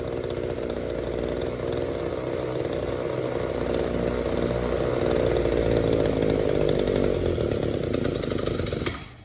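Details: Echo two-stroke trimmer with good crankcase integrity, no air leaks and a clean fuel filter, after carb screw adjustment: it buzzes unevenly and revs without crispness, stumbling between idle and wide-open throttle. It hesitates from a lean carburettor.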